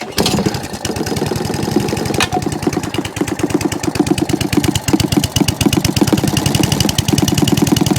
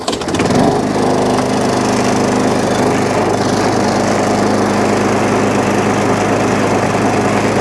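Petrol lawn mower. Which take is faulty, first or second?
first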